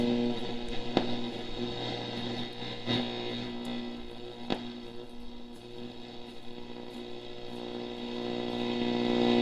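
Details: 1946 Stewart Warner 62TC16 tube radio after repair: music comes through clean and steady over faint low hum; station received, normal reception.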